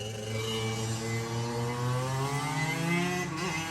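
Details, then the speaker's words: Three-wheeler, possibly a 1980 YT125 two-stroke, after carb cleaning and heavy top-end lubrication, with water found in the back of the carb: crisp buzz that climbs cleanly with revs, no sputter or hesitation, running strongly. "the the thing runs like I don't even believe it and I just caught a bunch of water in the backside of the carb too"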